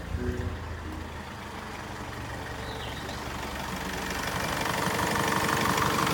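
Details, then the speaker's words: Mazda 6 2.2 diesel after timing chain replacement, earlier rattle gone: engine catches and settles into an even idle that builds slightly, no ticking or chain rattle; slight idler/pulley bearing whine noted, otherwise healthy normal start and idle. "Okay, and there's no ticking noise anymore, tapping noise, all quiet."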